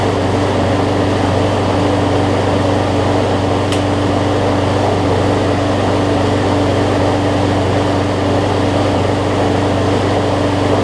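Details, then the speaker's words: John Deere JA62 push mower, about 15 years old, Briggs OHV Quantum-style engine with two-speed self-propel, after carb clean, running unloaded: steady even drone at constant speed, surging up and down just a little; slight no-load hunting, better than most. "you'll hear it surge up and down just a little bit but honestly it's probably the best overhead valve briggs quantum style that i've had in terms of it not surging as much"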